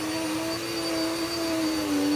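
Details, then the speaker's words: Vacuum on medium-pile carpet, height position two. Steady low moaning drone with a faint high whine: loud cow-like motor noise, cause unclear. "and it's not quiet no this isn't quiet it's like it sounds like a cow or something it's like moo"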